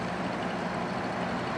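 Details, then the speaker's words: Air conditioner switched to cool on low fan: steady, even hum with constant airy rush and no knocks or rattles; compressor running smoothly, refrigerant heard flowing, cooling well. "okay now the compressor is on so if you put it to cool it'll run start the fan only and then we'll get the compressor Turn on"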